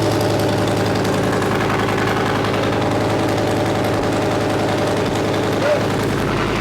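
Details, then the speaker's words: Leopard tank engine test run after replacing fuel injector bank O-rings and five or six cracked hoses: loud deep diesel running at an even steady beat, no misses or knocks; healthy, no leaks. "so we've test run our leopard engine so the o-rings that we changed out in our fuel injector bank are sealed it's not leaking from where it was before"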